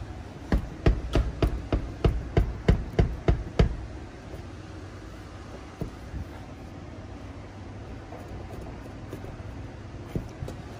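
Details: 1992-1996 Ford F-150, unfixed driver's door: about a dozen sharp hollow knocks at roughly three per second as the shut door is tugged; the latch striker has play, and the owner plans to add tape to fix it.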